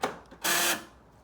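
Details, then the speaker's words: 2009 Nissan Note UK left-hand passenger door lock actuator: a click then a harsh buzzing grind of about a third of a second when locking; noisy actuator being replaced. "to be noisy when you lock it makes that noise"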